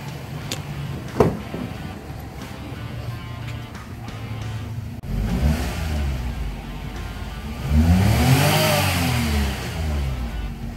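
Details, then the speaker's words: 2016 Daihatsu Mira revved after spark plug replacement and throttle body cleaning; engine picks up cleanly on two blips and drops back to a steady idle with no misses or knocks, sounding healthy. "ya está el mantenimiento a nuestro dezu Mira 2016 cambio de bujía y limpieza de cuerpo de aceleración escuchen Cómo suena ese motor"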